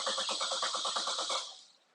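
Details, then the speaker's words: 2014 Chevrolet Cruze with intermittent stalling and no codes, airbox cover off, starting fluid tried: starter cranks briskly with even compression pulses and no firing; crank no start from loss of ignition control, coil previously replaced. "so we've got a loss of ignition control it seems all right"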